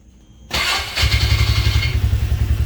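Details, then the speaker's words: 2017 Can-Am Defender HD5, restarted after 10 minutes idling and cooling off: brief cranking, catches at once, settles to even steady low idle; starts clean, runs normally. "Perfect. Let's take this thing for a ride and see what we got."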